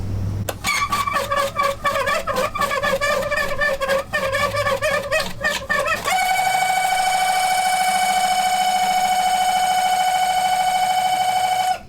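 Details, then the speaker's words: Early Bronco aftermarket heater blower, not working for about 3 years, switched on: rapid ticking, then a loud steady high-pitched whine as the fan spins up. The owner hopes for a dirt dauber nest. "It's obviously blowing air, but yeah, that's not going to work."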